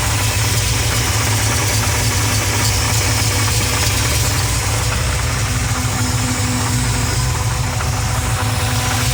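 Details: Pontiac 400 V8 in a LeMans idling with a deep steady rumble and a faint, uneven knock mixed into the exhaust beat. The cause is still being diagnosed.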